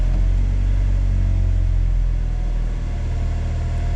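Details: 1994 Honda Accord, 256,000 miles, after throttle body cleaning: steady low drone held at one raised speed, just over 1,000 rpm, no drop or surge. Idling too high; vacuum leak smoke test next.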